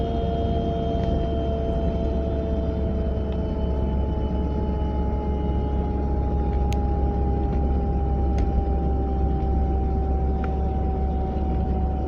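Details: 940 driving at about 30 to 40 mph: steady mid-pitched hum over road rumble, drifting slightly with road speed, heard from the passenger side; source unidentified.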